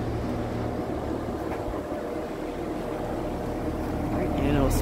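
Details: Vintage Sears Homart belt-drive window fan, 1/6 HP Craftsman motor, belt likely needing replacement, on high: even low drone with soft airy whoosh from the blades, no squeal or rattle; runs steadily.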